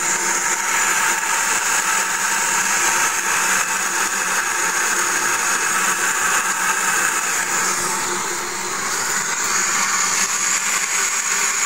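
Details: Mercedes G400: constant high, blender-like whirr with almost no deep engine tone underneath, steady throughout; an unexplained mechanical whirring.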